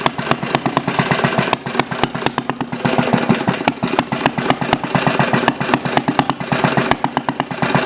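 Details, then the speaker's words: Glass-head Briggs & Stratton single-cylinder engine with small light flywheel and spacer lowering compression, slow idle with sharp firing pops at uneven gaps like a hit-and-miss engine; uneven low idle. "almost sounds like a hit and miss Mike yeah yeah strange"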